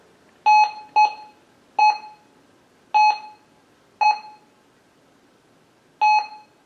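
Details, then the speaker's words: Minelab Gold Monster 1000 in all-metal mode, indoor test with steel nail on top of gold: six short sharp beeps at uneven intervals; detector seems to cancel the nail and possibly the gold too, target masking suspected. "See, it sounds like it's wanting to cancel it out, and I think it did there. I think it canceled the nail out, but it might have canceled the gold too because they're on top of each other."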